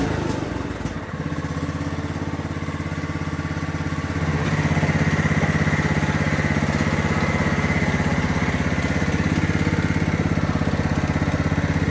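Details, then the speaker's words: Vintage Craftsman rider mower after revival (new tire tube and battery), driving out of the garage for the first time: the single cylinder chugs steadily and picks up after four seconds, with a faint puffing tick; a small exhaust leak is suspected. "sounds like it's got a little exhaust leak but I have a feeling he'll live with it"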